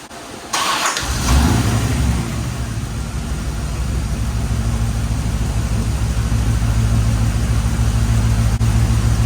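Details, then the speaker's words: 1989 Corvette C4 after the loose distributor was tightened and timing set to 10 degrees, advancing to 26 degrees. Starts quickly, then holds a steady, even low idle rumble with no stumbles: normal idle. "It's super the way it is now. all I did was timing, okay? Distributor was loose."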